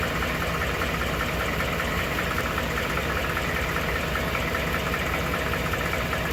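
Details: 2012 Ford F150 5.0 Coyote V8 at idle: dull, fairly regular knock about two per second through the engine hum, now present all the time; owner suspects an oblong cylinder, dealer earlier cleaned throttle body and reprogrammed PCM without fixing it.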